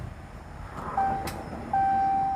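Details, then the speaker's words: 2015 Dodge Charger 3.6L, push-button start: single sharp click under a dashboard chime, ignition and dash come on but engine won't crank; new key fob battery didn't help, cause unknown. "I heard a click. So, it comes on. I thought it was my key fob, my battery."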